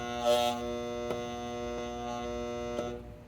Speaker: You hear that buzzing? That's the thermostat just kicked in and it's trying to turn on my uh air conditioner. But because there's no power, nothing's happening.